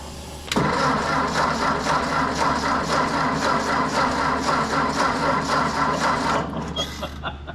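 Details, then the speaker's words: Ford Golden Jubilee tractor cranking steadily about two compressions a second for six seconds but never firing; spark is present yet it won't start, cause not yet found. "Still nothing. Uh we get spark. Tractor won't fire."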